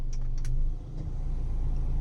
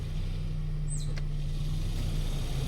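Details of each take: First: Mitsubishi cabin blower motor on speed 1 after replacement with a used unit: smooth steady hum, no chirping or scraping. The original was noisy from worn brushes and armature. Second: Mitsubishi car cabin blower motor on speed 1, heard in the quiet closed cabin: a steady low drone with rough scratchy scraping from worn brushes and a worn armature; fixed by replacing the motor with a used one.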